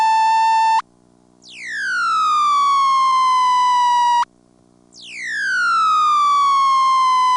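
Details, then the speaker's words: ITT Pentaconta crossbar office, Asheboro NC, March 1977, phone left off the hook: loud falling howl sweeping from high down to a steady tone, repeating every few seconds, the off-hook howler warning. "but here in Ashborough as well as I think if my memory is right in like 1971 in Durham North Carolina I did hear something that actually fits that name here's what happened one time when I left my phone off the hook here"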